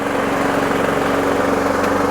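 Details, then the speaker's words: Toro Super Recycler 21386 after new drive belt (Toro 115-4669): small engine runs steady and even under load with constant hum while Personal Pace self-propel pulls smoothly forward and back, no slipping or squeal; moving freely. "Back it up. Moving nice and freely."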